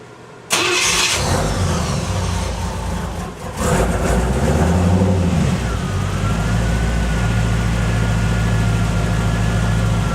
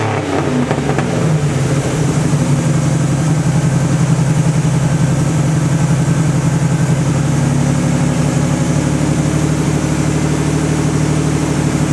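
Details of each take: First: 1986 Cadillac Cimarron 2.8L V6, arrived by tow, before its major tune-up: starts after a short crank, then a lumpy, uneven, stumbling idle. Misfire because replacement plug wires go to the wrong distributor cap terminals. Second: 1986 Cadillac Cimarron 2.8L V6 after tune-up with EGR valve, distributor cap, rotor and ignition module done: catches and settles into smooth steady idle, no misses or knocks; exhaust likely needs work; normal idle.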